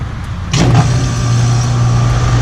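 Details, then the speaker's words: AC outdoor condenser unit whose fan wasn't spinning while the heater worked, with the contactor pushed in manually: sharp clunk as the contactor pulls in, then the unit hums steadily and runs evenly. Faulty contactor suspected, possibly a bug caught inside. "But we're going to push that in right there, and that should power the unit on."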